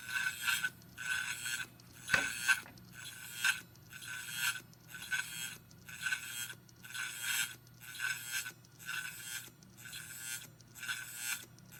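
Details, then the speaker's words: Faulty Hitachi Ultrastar 500GB hard drive (July 2009), motor damaged, possibly in shipping, platter seemingly tilted and cutting into a part while spinning: harsh metallic scrape-and-grind about once a second over faint hum; suspected, not confirmed. "马达坏掉了。马达坏掉了，这边好像那个转盘会好像转动的时候会切到这边。"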